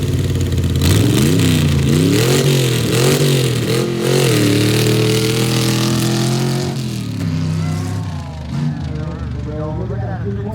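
Engine revs up and down with an uneven, stumbling beat and dropouts in the note; a misfire, cause not evident by ear.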